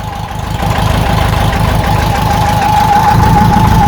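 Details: VW Type 4 Bug engine with a new serpentine belt system using an '89 Honda Prelude 2.0L idler pulley, first start: even, steady idle with a constant thin whine and no squeal, chirp or slapping; the belt tracks perfectly centered.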